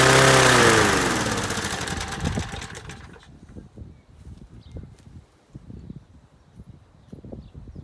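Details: Masport 21-inch self-propelled mower, Briggs & Stratton Quantum 6hp single-cylinder, first start after new blades: races flat out with high screaming pitch for two seconds then dies; owner suspects throttle jammed wide open on governor side, not carb.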